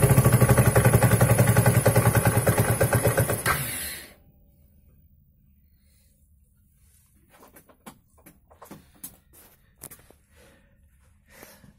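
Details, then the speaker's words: Daelim S2 125 Sport scooter, over 41,000 mileage: the engine starts and chugs for about four seconds, then dies. A closed intake port was found that needs checking or replacing. "no i tak jest na chwilę odpali i taśmie"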